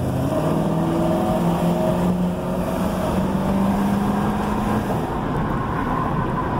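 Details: Road Runner V8 cruising after a front wheel hub bearing replacement: steady V8 drone with road rumble and no rhythmic clicking or clacking from the wheels; the previous squeak and clacking are gone and the bearing runs quiet.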